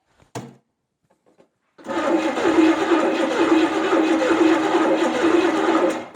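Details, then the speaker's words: 1970 Buick Skylark Buick 350, sparks confirmed, distributor being turned: starter spins steadily about four seconds with even chugging whirr but never fires; owner thinks it still doesn't sound right; cranks but won't start. "once more with feeling here we go all right bring it nope still doesn't sound right more fuel should help"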